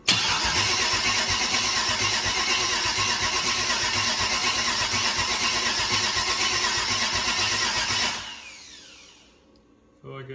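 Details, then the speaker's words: Purchased 150k-mile 6.0 LS V8 on makeshift fuel supply, first start attempt: steady slow starter churn for about eight seconds, never fires, then winds down; owner thinks more cranking rpm is needed from a charged battery. "guess you'll see a lot more RPM to actually trigger and uh fire off but we'll let it charge a while and come back down here in just a few"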